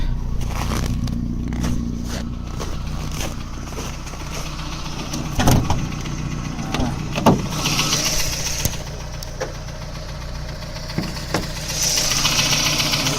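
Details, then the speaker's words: VAZ 2109 at idle, warm at almost 90°, louder when cold: sharp metallic taps a few times a second from the block, the cylinder head having been ruled out by a mechanic. Engine knock; a connecting rod in cylinder 1 or 2 is suspected. "На прогретую. На холодную он еще сильнее. Вот слышите? Мне кажется, это шатун где-то звенит."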